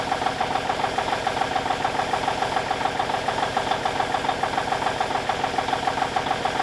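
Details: 1989 Kenworth K100E with a Cummins Big CAM IV diesel idling while warming up after a -6 °C cold start: crisp, even clatter at about 200 beats a minute with no misses, a healthy idle.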